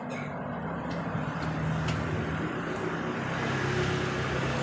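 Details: Honda Beat LED deluxe scooter with check engine light on and speedometer working normally: the starter churns the engine over steadily but it never catches and runs; cause not yet known, to be scanned.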